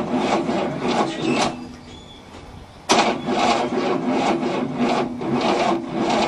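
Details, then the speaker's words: 1967 Cadillac not run in about 30 years: labored starter cranking, about two turns a second, pausing and retrying without firing; plenty of spark but too slow to start despite a second battery, cables smoking; timing suspected advanced. "oh yeah plenty of spark it's just not cranking fast enough to start"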